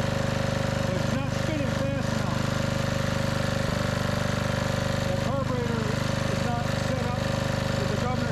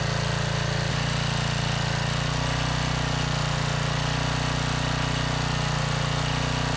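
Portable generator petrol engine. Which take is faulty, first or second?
first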